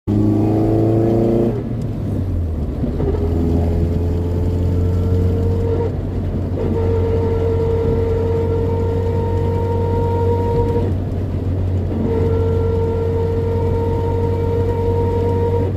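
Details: Toyota 4A-GE engine: steady mid-pitched whine over a low engine rumble, dropping out briefly twice; owner asks what it is, cause unknown.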